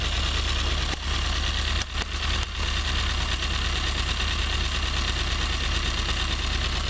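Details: Toyota 4A-GE 20V blacktop at cold idle, cold to amplify the tick. A fast, light tick seems to come from the exhaust header. Owner reports smoke and that the tick disappears at high revs; cause unknown.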